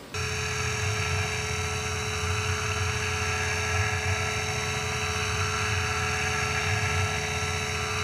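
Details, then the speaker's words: Tormach PCNC 1100 CNC mill roughing a 3/4 in aluminium plate for a keyboard housing, second program after facing, with coolant: a steady high singing tone over an even low drone, no chatter or squeal. A clean, successful roughing pass. "all right successful roughing pass check it out"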